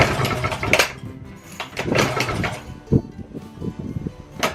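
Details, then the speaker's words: Circa-1920s Maytag two-stroke washing machine engine, said to be rebuilt, first run after 5+ years sitting, flywheel cover back on: sharp single pops in uneven bursts with coasting gaps; normal hit-and-miss pattern, running well. "Let her get some run time and get the condensation out of her after sitting all these years. Thing runs pretty cool."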